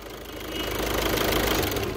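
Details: 2012 VW Jetta 1.6 diesel after repair: steady diesel clatter settling into even idle just after start, no starter grinding; sounds healthy.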